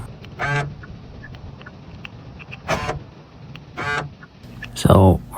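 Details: 2021 Kia Forte door lock, before repair: four short harsh rasping buzzes as the lock cycles instead of a clean click, from a failing door lock actuator.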